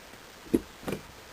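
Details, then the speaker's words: Engine off, four-barrel Rochester carburetor with adjustable thermostatic choke spring: accelerator tapped once, two light metallic clicks a third of a second apart as the choke plate snaps shut normally. "I just tapped it you can hear the choke plate closing shut on the carburetor"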